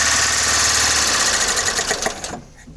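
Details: Carburetted Mitsubishi lacking power, with a loud, fast rattling knock and backfires into the carburettor that fade as the engine slows. A motor-tester check found a worn exhaust rocker arm and cam lobe, leaving one valve not opening.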